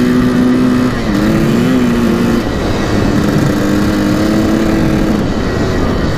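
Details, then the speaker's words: 1984 Yamaha YZ490 two-stroke, first ride, warmed up with choke off, on a lawn test drive: loud single whose pitch sags and stumbles each time the throttle opens instead of climbing cleanly; bogging, cause unconfirmed, later seems to clear out. "take her for a test drive around the lawn click here as you can hear a pretty dank boggy I'm pretty scared of this"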